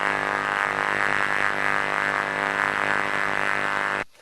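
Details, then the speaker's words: Ultrasound recording of a transformer: a rough, reedy, droning buzz that sounded very different from a normal one. Its spectrum resembles a properly functioning transformer except for one distinct difference, an abnormal low-frequency modulation. "and it sounded very different than some of the things we had heard but the Spectrum as you see looks similar to what I showed you on a properly functioning Transformer but there was one distinct difference"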